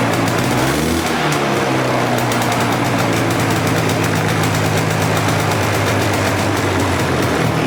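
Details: Polaris Explorer 400 two-stroke ATV, just started on choke in neutral, straight gas with oil pump: loud, uneven, fluttering beat instead of a clean idle; owner thinks the air screw may need turning out, not sure yet.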